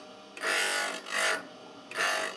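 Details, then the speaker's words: Drill bit in a sharpening attachment against a grinding stone: three short raspy grinding passes, each about half a second, with quiet pauses between; the bit is meeting the stone normally. "I continue till there's nearly no sparks left. Then I have a good finish."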